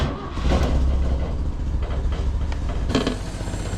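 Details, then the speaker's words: Vintage Toyota daily driver that cuts in and out and won't run right at open throttle, carburetor suspected gummed up, air cleaner loose: a rough, lumpy idle with an uneven rattle and knock over the rumble. Cause not yet pinned down. "I heard a pretty bad knocking when I pulled this thing in uh even sitting there in an idle so let's see what it sounds like"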